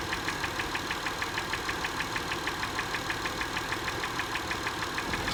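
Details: 2005 Acura TL at 172,300 miles: sharp, even ticking-knock about three times a second over a quiet idle; a steady engine knock from inside the motor.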